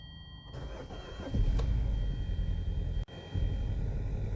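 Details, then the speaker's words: 2013 Hyundai Sonata Theta 2 engine, first start after in-car rod bearing repair (journals polished, new bearings): uneven, lumpy rough idle, no knock heard, loud high-pressure fuel pump noise on top; roughness eased with throttle. "definitely running rough let's take a listen in this thing got to put that bolt back in there"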